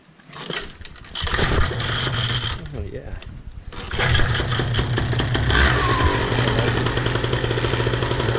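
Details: Miniplane Top 80 paramotor two-stroke after ignition (spark plug) wire replacement: starts rough, then settles into a fast, even buzz with no misfires or rattles; normal running.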